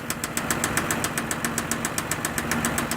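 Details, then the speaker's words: 2006 Mazda 6 V6 at idle: sharp, quick, regular ticking about seven per second over a steady low hum; owner thinks it comes from the top end but cannot locate it; cause unconfirmed. "certainly sounds to me [Applause] like it's from the top end but I'm not sure what could be making that noise"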